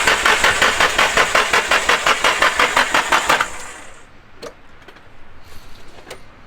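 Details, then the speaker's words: SR20DET-swapped Nissan S13 coupe on its third start attempt: the starter cranks steadily at about three beats a second for three seconds and never catches. No fuel smell and no 255 fuel pump heard; the fuel lines were found to be reversed. "Should I go listen for the fuel pump? Yeah, I don't hear it. Ready? No. Yeah. No, and it should be kind of loud because it's like a 255. Yeah. Alright, so fuel lines were reversed."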